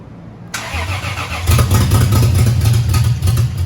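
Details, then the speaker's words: Lexus IS300 turbo build, rebuilt engine's first start after almost a year on a swapped battery: brief crank, then catches into a loud, raw, even idle with open exhaust manifold; oil pressure present, sounded good. "Well, you got oil pressure. It runs. That was a huge success right there, dude. It sounded good. That was. That sounded good, man."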